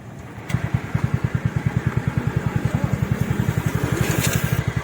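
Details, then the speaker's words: TVS Ntorq BS6 scooter after repair (valves, valve seals and packings replaced, crank and block kit problem fixed), key-started: even putter of about ten firing pulses a second, steady with no knocks or rattles; normal healthy idle. "Car शुरुआत हो चुकी है। और आप कर रहे हैं आवाज सुनना इसे लें। आप जो सुना है, कार आवाज एकदम सही है।"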